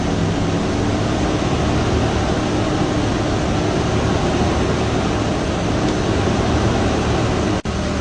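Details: Vehicle under a charging-system load test after the wiring and belt were refitted (about 14.4 V): steady, even engine drone with no knocks, whine or surging. The test passed. Normal running under load.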